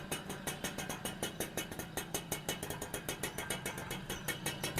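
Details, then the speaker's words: XL Super moped after engine rebuild with new crank, clutch kit and bearings: steady even idle putter, no knock or tapping; earlier noise gone, confirming the crank was the cause. "முன்ன இருந்த sound கொஞ்சம் கூட இல்ல"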